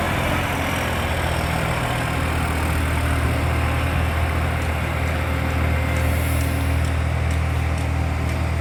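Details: Loud diesel exhaust leak on a 3520: steady heavy drone with a rapid puffing tick and a faint sharp chuff up high.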